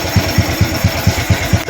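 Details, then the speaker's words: Honda Wave 110i motorcycle at idle after a timing-chain and cylinder-head noise repair (bought used; piston also replaced), engine started the day after reassembly: even low thump, no ticking. Normal quiet idle. "เมื่อคืนทำเสร็จประมาณตอนห้าทุ่มกว่าจะมาดูว่ามันหายดังหรือยัง[เพลง]เงียบกริ๊บเงียบเลย"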